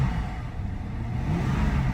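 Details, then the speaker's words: Cheap V8 BMW automatic, cold, with low coolant: in drive at full throttle the revs climb freely with a hollow droning roar but the car won't move, briefly stuck at 1800 rpm; transmission slipping, reverse also barely engages. "For a second, it wasn't going past 1800 RPM. But now I'm flooring it, still not going anywhere."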